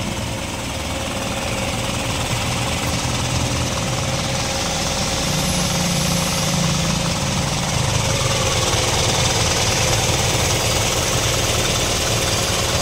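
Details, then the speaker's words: Isuzu 4HL1 diesel at idle after injection timing was retarded by three teeth, which cured the knocking, rough running and hard starting: steady, even clatter, one-click start; normal diesel idle. "Ayan na wala na rin yung lagutok naandar niya yanagawa"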